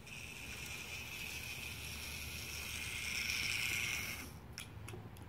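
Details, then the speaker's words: Old Märklin 3090 model locomotive, which stops at higher speed due to a weak reverse unit (relay) spring: even motor whir with a steady high hum at low speed; runs fine at low speed, forward and reverse. "I'll show you how now with low speed to the parade fine go straight reverse"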